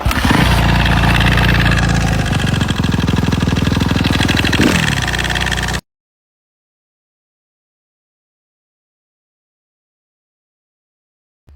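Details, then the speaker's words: Suzuki RM-Z 250 dirt bike, about three weeks after purchase, during a ride: revving then idling with a light regular tick about three per second in the engine before shutdown; cause unknown. "j'ai entendu ce petit tac tac tac tac tac dans le moteur donc je me suis dit pas bon je pense je vais éteindre la bécane"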